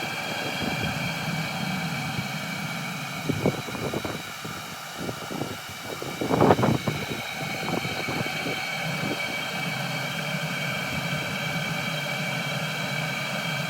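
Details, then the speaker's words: Cheap Chinese 12 V diesel heater running on green fuel pipe: steady burner roar falters with uneven sputtering as a forced air bubble reaches it, heat drops, then re-catches to an even roar; air in fuel line causing combustion stutter. "as you are about to hear i force an air bubble into the diesel heater and you can hear the lacking in heat coming out and then all of a sudden it just re-catches"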